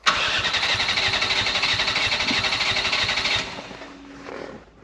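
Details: Mk4 Ford Fiesta that hasn't started in over 4 years, timing light on a plug lead and 12 V confirmed at the coil: steady fast cranking about four beats a second, never catching; cranks but won't fire, likely no spark.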